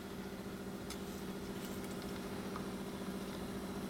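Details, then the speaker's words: Sony TC-350 three-head reel-to-reel after freeing a gummed-up capstan idler wheel arm that stopped the pinch roller engaging and bogged the tape to a stop; heads cleaned and demagnetized. Now a steady, even motor hum, no scraping, squeal or wobble: normal tape transport. "now it plays no problems at all now sounds good for sure"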